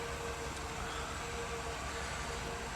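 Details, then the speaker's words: 2009 Mini 1.6 after cleaning a Vanos solenoid blocked by metal filings: quiet, steady idle with an even hum and no hunting or stumbling; the code has not come back and it runs much better. "so yeah she's running lots better"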